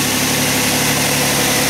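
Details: 4th-generation Nissan Maxima after starter replacement (old starter gave slow, unusual-sounding crank): engine catches and settles into a steady, even idle with no misses, knocks or starter grind; runs healthy.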